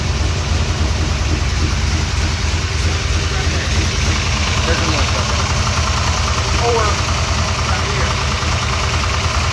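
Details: Revving settles to a rough idle with a quick puffing tick about three per second riding over the engine; exhaust leak.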